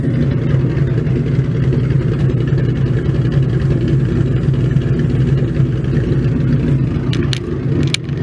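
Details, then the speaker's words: 302 stroker V8 Mustang at warm idle after about 70 miles of driving: a deep, choppy rumble with a steady lope of about three to four beats a second, even and healthy; it sounds like an old-school stroker. "sounds like an old school stroker now"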